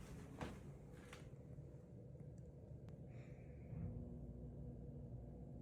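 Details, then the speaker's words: Goodman 3-ton AC condenser, second start after installing a Micro-Air Easy Start Flex soft starter, heard from indoors: soft low rumble with no harsh thump or jolt, much quieter than before; normal compressor start. "wow, that sounds like a regular air conditioner. That's amazing. Jay's gonna be stoked that this is that much quieter, because this unit was really loud every time."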